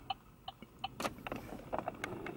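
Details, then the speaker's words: Modern car turn-signal tick, which plays through the small front speakers rather than a relay: three crisp, even ticks about 0.37 s apart after reconnecting the cut front-speaker wires behind the radio. The indicator sound now works normally. "I have reconnected them and I can confirm that the sound from the indicator is working"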